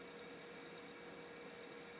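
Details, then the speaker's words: Failing laptop hard drive on an EZ-Gig adapter, tested under Windows XP/95: a steady, thin high-pitched squeal and faint whine hold constant as the drive spins; drive starting to die. "As you can tell from the noise, it's starting to die."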